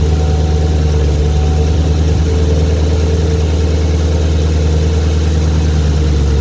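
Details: 2014 Camaro V8 idling with deep steady rumble and a light fast valvetrain tick; teardown removing the head confirmed a bad lifter.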